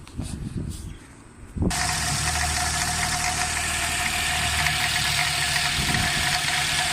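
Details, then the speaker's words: Nissan X-Trail at idle after start: constant high squeal over the idle with a light rattle underneath, from the engine pulley area; failing belt tensioner, replaced. "all right guys uh this Nissan x-trail the engine is squeaking fully I think from the fully engine pulley if something is squeaking so I'm gonna start the engine so I can show you guys and you can hear that noise"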